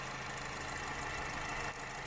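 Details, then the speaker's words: Honda Freed petrol engine at idle, hood open, used-car check: a smooth, stable, even hum with no ticking or hunting. Given as the normal example; a rough "tak tak tak" sound or self-revving would indicate trouble. "Nah, kita lihat ini contoh yang mesin Honda Freed yang normal seperti ini ya."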